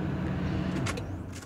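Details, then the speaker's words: 2000 Ford Expedition 5.4 after ignition switch replacement: engine runs steadily then winds down smoothly to quiet, no blower or under-dash clicking afterward; before, engine and accessories stayed on with key removed and clicking was heard. "and turn it off and no accessories are on nothing's running no blower motor you don't hear any clicking"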